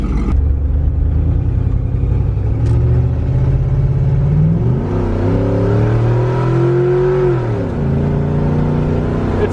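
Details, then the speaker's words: LS-swapped OBS Suburban after new custom exhaust, clogged catalytic converter removed: deep, even V8 rumble rising as truck pulls away then settling, muted with no drone, rasp or leak; sounds like a pretty stock truck. "it sounds like a pretty stock truck"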